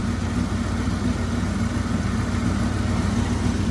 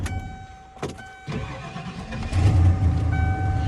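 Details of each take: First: 300,000-mile 1996 Ford truck warming up after sitting, fan broken, may need coolant top-off: uneven, lumpy idle with irregular low chuffing about 3–4 a second like a misfire, smoothing as it picks up cylinders; timing is in doubt, cause unconfirmed. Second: 1996 Ford truck with 300,000 miles, after starter work: short crank, then catches quickly and settles into a steady idle; starts like a top, starter no longer an issue.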